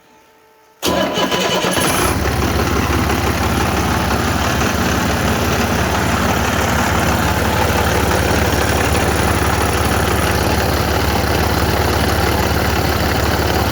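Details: DT466 diesel swapped into a Ford Super Duty, electric fuel pump at 40 psi, started unloaded; brief crank, fires and settles into a steady even idle clatter with no misses or surging.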